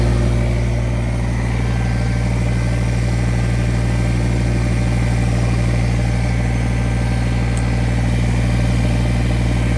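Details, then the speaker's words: Kubota BX1850 diesel tractor, bought 2008, after replacing the ignition switch and battery terminals: steady, even idle with a deep regular beat, about three per second, no knocks or misses; runs normally again. "I'll be damned. She's working again. That's the new ignition. That's the new battery."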